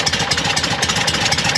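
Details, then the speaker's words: Porsche 912 flat-four idling: sharp, fast ticking puffs with each firing; exhaust leaking at a rusted, crushed pipe, drawing in fresh air and causing backfire and black soot. "It's just an exhaust leak and you're getting fresh air into the exhaust. That's the problem."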